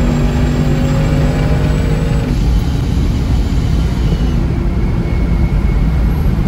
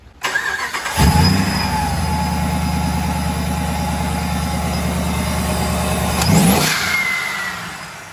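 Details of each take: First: Supercharged Hemi V8 Battlewagon with a newly fitted Kenne Bell Boost-a-Pump, on its first wide-open-throttle pull, with no timing. The V8 roar sounds flat and soft, not crisp: a lean mixture with retarded ignition timing; it needs more fuel. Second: Supercharged Hemi Battlewagon after fitting a Kenne Bell Boost-a-Pump for more fuel flow: fires up and settles into a smooth, steady run with an even beat and no misses or knocks; running well again.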